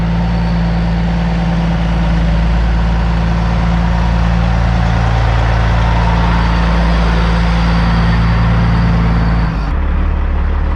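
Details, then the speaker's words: 2004 Kenworth W900L with a CAT C-15 diesel, started outside before being brought into the shop: a deep, steady idle with an even low drone and no knocks or misses; it runs just like it should. "but she is running sounds good just like she should and now i'm gonna bring her into the shop so let's do that"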